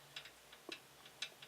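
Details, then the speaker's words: Protomaker 3D printer Z-axis linear bearing removed and rocked side to side on its rod by hand: light, sharp rattling clicks from a very loose bearing with no friction. "it's supposed to slide up and down, but see how much wobble there can be in that. And I can hear it almost rattling"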